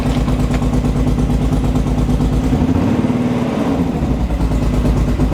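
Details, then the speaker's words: Car after a crank sensor replacement. It revs up, then drops back to a slightly lumpy but steady idle without cutting out. Not yet confirmed fixed, but improved. "The car does rev and comes back down and doesn't cut off. So, I'm not gonna say we're fixed, but steps in the right direction at least."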